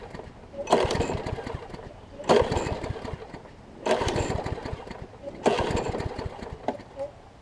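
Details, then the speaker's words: Troy-Bilt push mower, Briggs & Stratton Quantum engine converted from auto choke to primer bulb: four recoil pulls about 1.5 s apart, each spinning briefly without catching. Cranks but won't start; owner suspects water in the fuel. "I think we got a little bit of water in it and so that's why it's not firing for me might"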